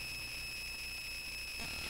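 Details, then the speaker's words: Bare Conductive Touch Board audio output: steady piercing high-pitched tone with overtones, unchanging; noise worsened when the input power source changed; owner suspects poor filtering, source not pinned down. "all right and I'm going to meet that because that is a very annoying sound and I'm not quite sure Watson noisy and it actually got worse when I change the input power source"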